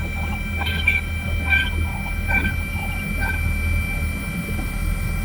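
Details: Boston Whaler with Mercury outboards, after replacing a Gen 2 steering actuator, system found empty of fluid: steady low hum with rising, warbling moans every second or so as the steering pump draws air while being refilled and bled.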